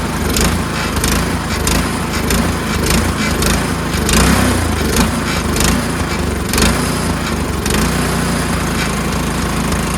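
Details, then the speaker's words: Troy-Bilt Storm 2410 two-stage snowblower, just after cleaning and refitting the pilot jet: steady run but speed swells and sags every second or two, a mild hunting surge, better but not fully gone. "So it's better. It is a little better, but it still surges, right? But it is definitely better."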